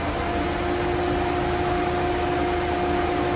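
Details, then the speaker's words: Ford EcoSport/Ka/Fiesta, engine running: A/C switched on engages the compressor and the radiator cooling fan cuts in within seconds; steady even whir with constant hum, no rattle or scrape. Normal cooling fan operation. "Liguei o ar condicionado acionou o compressor que eu vi aqui já já a qualquer momento o ventilador entra já entrou"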